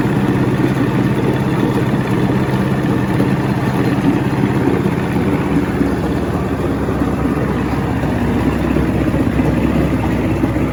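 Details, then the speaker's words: 1970 Evinrude 85hp two-stroke outboard, hydro-electric shift, about 50 years old, new water pump impeller, running off a boat: steady even idle burble, no misses, knocks or rattles; a nice-running motor that outlasted its boat. "that's really nice just needs a boat beat the motor outlasted the boat hope that it was on anyway so jake if you want it come get it man this is all yours i'll even help you mount it on the boat nice running motor can't wait for spring"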